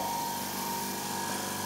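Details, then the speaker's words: Quiet silent-type air compressor bought to supply more free air for a framing nailer and tire inflator: steady quiet hum with a faint constant tone and light hiss, no knocks or rattles, switching off automatically at target pressure; running normally. "the compressor running flat O's and when the compressor reaches its target pressure it automatically switches off as you've just seen"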